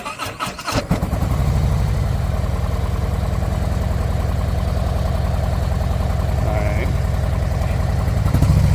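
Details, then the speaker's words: 2024 Harley-Davidson Road Glide V-twin in limp mode, check engine light on: lumpy uneven low thump with a missing beat, poor revving, barely any power; running on one cylinder from faulty coil harness wiring. "You turn it on, you'll see that the check engine light remains on, and then in addition, when you try to use the gas, it's running on one cylinder."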